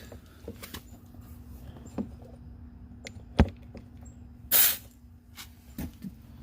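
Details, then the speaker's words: Outboard motor power tilt and trim, while being refilled with fluid and bled after trimming up and down: a quiet background, then a sharp half-second rush of air escaping from the reservoir. Trapped air in the hydraulic circuit; the fluid looks reddish. "That is a lot of air coming out of there."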